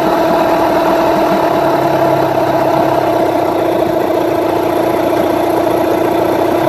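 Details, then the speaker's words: Rebuilt Yamaha 9.9/15hp outboard after carburettor mixture tuning settles into a steady, even idle with no hunting or dipping; mixture and idle set right. "Also hear how it comes back and it doesn't it doesn't sit in an RPM and then drop or it doesn't go drop and then raise back up again slowly."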